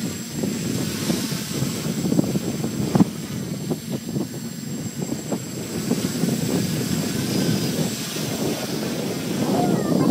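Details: F450 quadcopter rebuilt from an F550, on a test flight in open air: a steady propeller buzz rising and falling smoothly with throttle, with no stutter or rattle. Motors healthy, normal flight.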